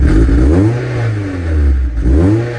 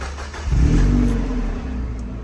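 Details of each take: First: Warm Mazda MX-5 Miata revved in repeated swells with a loose metallic rattle on each rev, felt in the centre of the exhaust while driving. A replacement centre pipe is planned; cause suspected, not confirmed. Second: Mazda MX-5 Miata start-up after replacing the center exhaust pipe with an aftermarket one, which had sat low with play and squeaking. Quick crank, then a deep, smooth burble settling to idle with no rattle. Sounds the same as before, tight.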